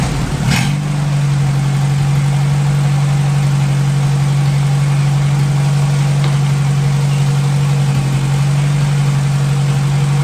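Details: 1957 Hercules flathead four-cylinder engine with magneto, just revived, oil topped up after being a quart low, antifreeze circulating, warm but not hot after over 20 minutes; steady even smooth low hum, no knocks or misses; normal idle.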